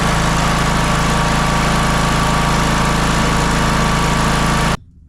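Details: John Deere L108 riding mower, deck slows when mowing; muffler bolts fell out and wouldn't tighten. Loud, harsh, buzzy run with a rattly exhaust edge, then shut-off: loose engine mounting bolts and loose exhaust rattle.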